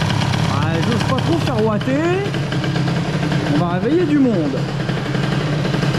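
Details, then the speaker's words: Airsal XT77 moped two-stroke, first test after fitting larger reed-valve intake box, idle raised: steady, even low burble with no hunting or stalling; idles smoothly and stably. "tout cas c'est stable il va pas l'air d'avoir de plus d'air"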